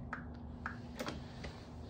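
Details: Snow Joe ION18SB cordless snow blower with a three-bar battery locked in and its light on: pressing the button and holding the bar gives about five sharp dry clicks in two seconds with no motor spin-up; apparently a recurring failure on this model.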